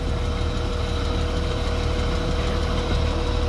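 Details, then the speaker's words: Hyster forklift with a 4.3 Vortec that had seized after running out of oil, restarted on fresh oil: a heavy low thud about three times a second at idle, deep from the bottom end. It is still knocking badly, a main bearing knock. "what the hell there we go oh yeah still knocking bad"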